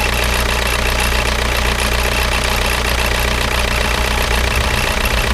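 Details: Škoda Octavia 1.9 TDI 81 kW diesel idling with a steady low drone and a loose, knocking clatter about twice a second; strange noise, suspected damage.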